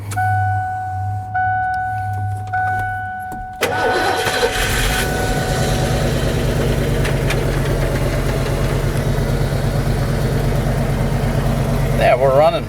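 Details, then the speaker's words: 1988 Ford F250 after high-pressure fuel pump replacement (wouldn't start before, so the pump was the cause): short crank, quick catch, then smooth steady idle; normal idle. "we're running, so that's good, because it wouldn't start before, so it was the pump."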